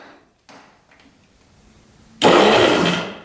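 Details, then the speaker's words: 1973 Skee-Horse snowmobile (Johnson engine), sat 40 years untouched, in 5°F cold, key turned to start: short burst of starter whirr spinning the engine freely and evenly; electric start works. "Lights. Oo. Electric start was working."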